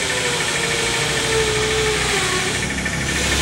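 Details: LG automatic washing machine on spin: harsh, rough whirring with a wavering mid-pitched tone and low rattling vibration underneath; noisy spin before repair.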